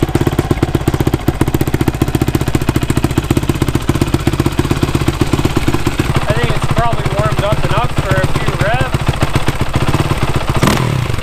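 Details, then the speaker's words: Freshly rebuilt Yamaha YZ450, started after sitting two to three weeks, at idle: fast high-pitched ticking over steady thumping idle, beside normal low cam rocking; caused by old stretched timing chain, later replaced. Stretched timing chain. "any means but that high-pitched ticking that's a new noise that it wasn't going on when I after I'd freshly rebuilt a bike so it has me a little bit worried that something's a bit off"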